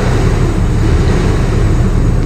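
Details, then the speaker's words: Sinotruk Howo water tanker, Weichai WP10 380hp Euro 5 diesel, running after swapping in a different ECU: loud, deep, even rumble, no misses or knocks, check engine light gone; original malfunctioning ECU held exhaust brake valve and in-cylinder brake open, causing no-start. "Umandar na yung makina po. Tos wala yung ano check engine nito."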